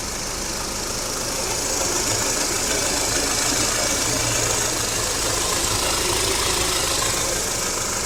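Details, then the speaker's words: 2014 Audi Q5 petrol engine after intake carbon cleaning, oil and filter change: steady even idle, no stumble, under strong hiss; former cold-morning random-cylinder misfires and check light gone. "the car had no more misfire in the morning no more check light so everything is back to normal and back to running perfect"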